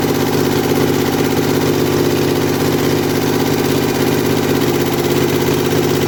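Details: Kohler Command V-twin mower engine revived after carburetor rebuild and starter install, no muffler, just choked: loud open-exhaust beat at steady fast idle, firing evenly, no misses or knocks; runs well, normal.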